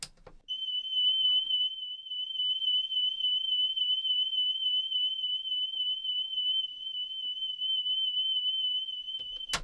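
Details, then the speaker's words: Panasonic RX-5025 radio cassette playing a calibration tape before service: steady test tone warbles up and down like a siren, flutter from a bad cheap drive belt, playing slow and warbly. "that sounds more like a fire engine siren or something than a than a standard a standard sine wave signal so um yeah that goes to show just how how bad a cheap tape is a cheap belt"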